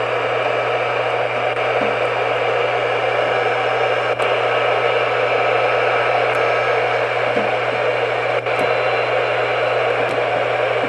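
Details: Realistic Weatheradio Alert III model 12-140, tested in basement on weather band: steady hiss of static with low constant hum, no station received on any channel; antenna in good shape, cause unknown.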